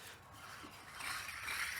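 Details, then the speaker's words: Chevrolet Sierra wheel hub spun by hand gives a dry, gritty rasp growing rougher as it turns: worn wheel bearing, replaced with a new one. "Oh yeah. No good. Don't want to be driving across the country with that. Sounds like it could be a cheese grater."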